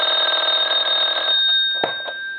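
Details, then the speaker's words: Repaired, converted German telephone at final checkout, ringing with the on/off switch in use: a bright, fast metallic bell trill for over a second, then stops cleanly; ringer working properly. "now for our Bell I'm going to go ahead and ring the unit and I'm going to let that go a couple times"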